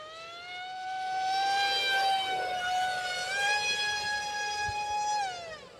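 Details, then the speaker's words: ZOHD Alpha Strike 620mm RC plane on 4S LiPo in flight: loud steady high whine at 100% throttle, dropping as throttle comes back; noisy prop, owner suspects it is inefficient. "that's 100 throttle a lot of noise probably a pretty inefficient prop there"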